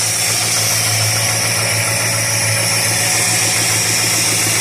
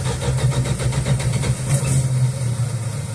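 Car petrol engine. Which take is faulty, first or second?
second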